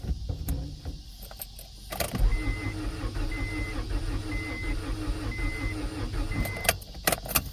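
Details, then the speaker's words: 1992 Acura Integra, sat over 5 years; new distributor and starter fitted. Starter churns in steady rhythmic pulses and nearly catches once but won't start. Owner suspects no fuel pump and that it is now flooded. "Oh, she wants to go so badly. Come on, baby. I probably flooded the hell out of it by now."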